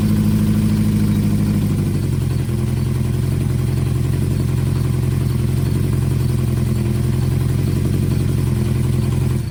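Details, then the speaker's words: 1973 Honda CB500F four-cylinder after carburetor tuning with a vacuum gauge, deep even burble stepping down after a blip into a smooth steady idle; running healthy. "figured I would show you guys what she sounds like she sounds pretty good"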